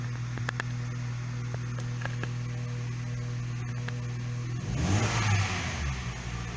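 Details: Hyundai i30 1.6 16v, 140,000 km, after a faulty timing chain tensioner caused a jumped chain and was fixed: smooth even idle then a clean rev rising and falling without rattle; runs very nicely now.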